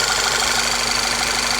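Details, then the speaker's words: Volkswagen CC with earlier P0300 misfire, after fitting new ignition coils with good waveforms: steady, even idle under a lot of hiss, no stumble or skip; misfire gone, normal smooth idle. "But it seems to be idling real smooth now."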